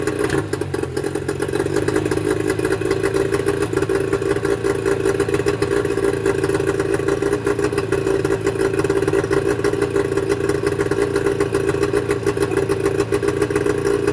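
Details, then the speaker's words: Mercury 25 HP two-stroke outboard before Boyesen power reed install: rough, choppy idle with uneven popping and stumbles, coughing; small openings in the reed valve petals cause the rough running. "you'd be amazed that you wouldn't think that these two little pieces of metal is what makes the motor run so rough but these are the valves for the two strokes"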